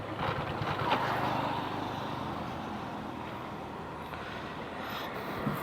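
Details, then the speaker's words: Motorcycle slowed on a slight slope while left in fourth gear, engine chugging low and uneven as speed drops, then fading out; stall from lugging in too high a gear instead of downshifting. "बहुत कोशिश की भाई इस बार bike ने क्योंकि ना थोड़ा ढलान सा था यहां पे तो कोशिश कर रही थी"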